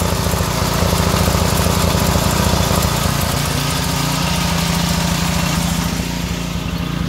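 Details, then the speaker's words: Pressure washer's small single-cylinder engine running on vegetable oil instead of motor oil, a little warm; fast uneven chugging idle with occasional stumbles, perhaps a slight miss; sounded somewhat like this before, no smoke. "i don't know if she's gonna make it boys she's uh she sounded pretty rough but kind of sounded like that before a little bit warm now no smoke yes though"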